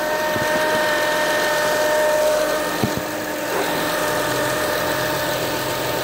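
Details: 2007 Acura TL Type S at idle: steady high whine holding its pitch, with a second higher tone above a smooth idle; source not pinned down.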